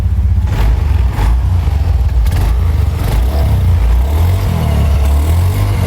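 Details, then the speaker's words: Honda Scoopy scooter that stalls and won't idle; runs on throttle, then sags and dies when throttle is released; dirty throttle body and worn spark plug found as the cause. "Nah, tadi lu lihat ya ketika motornya enggak digas itu motornya mati. Nah, itu namanya langsam medad. Nah, motornya ini enggak mau langsam medad."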